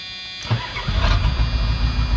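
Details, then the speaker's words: 1984 Ford F250, start after repairing and priming the water fuel separator. A short crank, then it fires within half a second and settles into an even, lumpy-steady idle; starts readily and runs healthy. "what do you know starts up pretty good"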